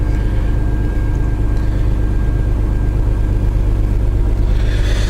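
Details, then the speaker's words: 1995 Chevrolet S10 V6 cold start at about 50°F: deep, even rumble at idle with no misses, surging or fluctuations; normal idle. "So, yeah, you can hear it. idles very smoothly. No fluctuations or anything."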